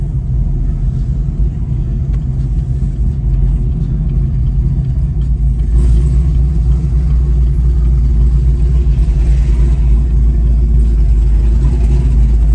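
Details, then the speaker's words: ZL1 Camaro back from the dealership, cold start next day, listening for the earlier belt squeak: deep, steady rumble from a loud engine at idle with no squeal or chirp; belt drive quiet and healthy. "This car sounds really good. So I don't hear anything."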